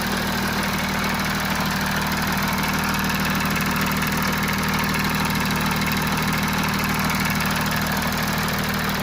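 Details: Audi A6 C7 (4G) 3.0 TDI V6 Quattro idling cold before service: busy metallic rattle over the diesel clatter, timing chain rattle; dealer later replaced the faulty timing chain tensioner and exhaust camshaft.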